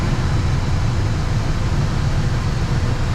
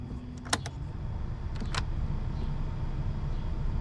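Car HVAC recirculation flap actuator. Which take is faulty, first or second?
second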